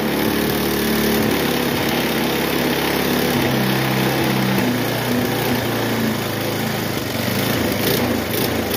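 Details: Bluebird aerator small single-cylinder pull-start engine after carburetor cleaning, diaphragms working: holds a fast, busy idle under its own power, slightly uneven but not dying; it runs.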